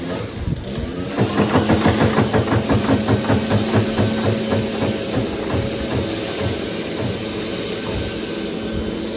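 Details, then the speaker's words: Troy-Bilt Gardenway 47278 vac chipper with Briggs flathead horizontal engine: slow pull turns over very easily with even light clatter about three per second and no compression resistance, owner suspects engine blown; no compression when cranking. "it sounds like it's just the carousel like there's no compression"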